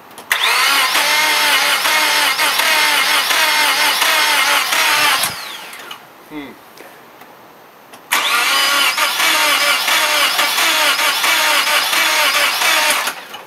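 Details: Car sat about a year through a freezing winter; its 5-year-old battery, once at 0.75 V, was revived by charge/discharge cycles. Starter spins the engine in two long bursts at roughly 140 rpm with no firing: cranks but won't start. Cause unconfirmed.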